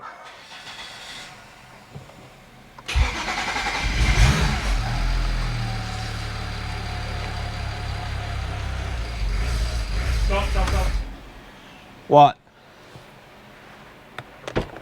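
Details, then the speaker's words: BMW E92 335i with swapped E90 engine (valves lapped, head refitted), first start: cranks and catches, then runs unevenly about eight seconds with wavering, lumpy idle; rough running from low high-pressure fuel pressure, under about 750 psi. "so yeah the the rough running on that first start was just the fuel pressure again"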